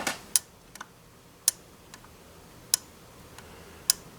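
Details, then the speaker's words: Montgomery Ward Airline 62-425 Indian Head radio with a homemade tape-measure metal dial belt: sharp, dry ticks about every 1.2 seconds. The band catches on the threads of an overlong set screw holding the dial ring. "oh I see it's the the set screws a little bit long that holds this ring on so it doesn't really push on this tight and when it's coming around on the backside it's just see it doesn't do it every time"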